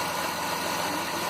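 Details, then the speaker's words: 2009 Dodge Grand Caravan at idle after cleaning plugged power steering reservoir filter and refilling low fluid with stop leak (slightly overfull; small leak suspected): faint constant tone, no growl or whine; pump now quiet. "But as you can hear, it's quiet. The power steering pump is not humming or making a lot of noise."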